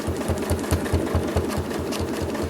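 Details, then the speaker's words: Sewing machine free-motion quilting: rapid even stitching thump about four or five a second, getting slightly louder as the needle crosses the seam allowances of the next block; normal running. "hear that where my machine gets a little louder? That's because it's getting into those seam allowances of the next block."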